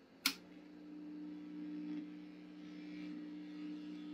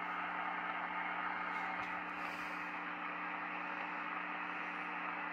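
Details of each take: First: Vintage Swan 350 transceiver with recapped power supply, lid off: click at switch-on, then steady low hum with higher hum above, same as originally; owner suspects rear wiring/Jones plug, unconfirmed. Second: Swan 350 vintage transceiver with power supply, after all-new capacitors in the 350: even soft hiss with faint steady low hum, no crackles, after pulling out the Jones plug wiring at the back; receiver static now low and acceptable.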